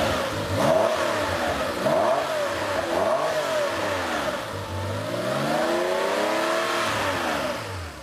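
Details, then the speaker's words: Rebuilt air-cooled Porsche engine on a test stand after cam timing was set, first fire-up with the fuel pump audible: quick throttle blips rise and fall cleanly and it returns smoothly to idle. No exhaust or oil leaks or odd noises; normal throttle response. "No exhaust leaks, no oil leaks, no funny noises. And the throttle response is good."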